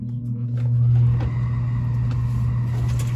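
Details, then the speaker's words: Air handler blower with hydronic fan coil on a Dunkirk boiler converted from steam, after fixing an electrical short or open circuit in the air handler; thermostat back on. Blower spins up to a steady low hum, no rattles or scraping. Normal start. "Perfect. There she is. She works. Beautiful."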